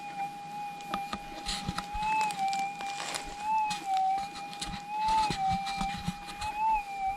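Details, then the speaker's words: GPX6000 metal detector in noisy ground at sensitivity 1: quiet, smooth threshold hum with a soft, dull target response, audible but not bright; target needs burying deeper. "not as bright though is it 100 not as bright for me obviously it's audible we need to dig this deeper down so let's try the top one"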